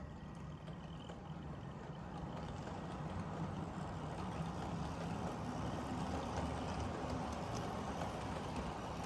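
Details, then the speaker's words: Dapol Class 59 model locomotive hauling 13 JHA wagons at about one-third power: steady, gritty low rumble and hum with no knocking. Noisy drivetrain under load but coping well. "This is 13 wagons at around about 1/3 speed, so 1/3 of its power. As you can certainly hear, it's quite noisy. However, coping very well."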